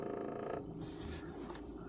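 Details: Siemens refrigerator running with a low, steady compressor hum and no rattle, after bending a line near the compressor on the left side that had been touching and rattling.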